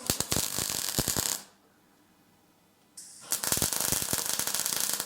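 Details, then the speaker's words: MIG welding during diff welding on a BMW E46 drift project: a steady, crisp crackle like frying bacon, a short pause, then the same even sizzle resumes, with only slight spatter at the right setting. Normal welding arc. "If you hit the perfect setting, there is slightly spattering."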